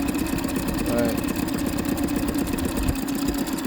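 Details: Boat outboard right after injector cleaning and replacement, fuel bulb primed and air bled: steady, even idle with a regular pulse and no stumbling or misses; fired right up easily.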